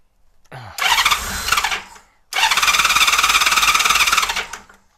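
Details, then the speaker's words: 1999 Honda Valkyrie Interstate flat-six, unused for years, with old carburetors, started on fuel; catches twice but runs only a second or two and dies, cannot hold idle; carburetor problem suspected, unconfirmed. "all right thank you does not want to stay running that idle at all it's almost like the idol is"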